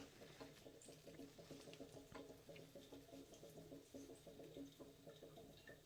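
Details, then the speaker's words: Bradford White water heater being drained before anode rod replacement, relief valve and shower open: quiet steady bubbling gurgle pulsing a few times a second as air enters; normal. "And we might need to open the shower so that way the air will go in there. But there you go, you can hear the gurgling."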